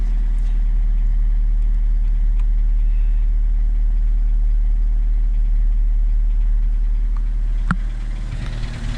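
Small petrol engine idling smoothly with an even low hum and no grinding or whirring from the starter.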